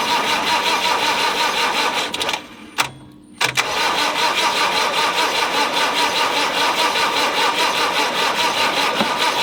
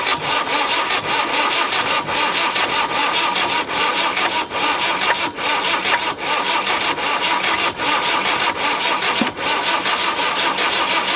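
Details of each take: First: Land Rover 90 with normally aspirated diesel, unstarted for eight years, oil added: steady whirring crank at about 2.5 turns per second, briefly interrupted, never fires; cranks but won't start. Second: Land Rover 90 with a normally aspirated diesel, unstarted for 8 years and given oil down the cylinders, fires and keeps running with steady diesel clatter and a slight pulse about once per second.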